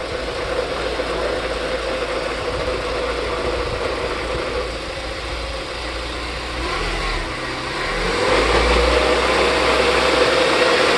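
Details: R56 Mini Cooper pulling away from rest after clutch release: faint whirring tone rising with speed under load; owner suspects the transmission; noise when accelerating from a stop.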